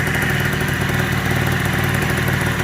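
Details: 1987 Honda Elite 50S, AF05E two-stroke, after a Malossi 65 cc big bore install, idling around 1,800 rpm: buzzy, steady, fairly high idle without surging or cutting out; idles normally.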